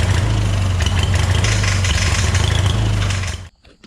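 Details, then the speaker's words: Hobart welder generator engine from a scrap yard, unused for years: runs rough with an irregular clattering rattle, then shuts down; a loose bolt sticking out into the fan shroud was found. "oh um i don't know what that is that's i heard this engine run i swear to god i heard this engine run once before i could not tell you what that noise is tell you what though it doesn't sound good"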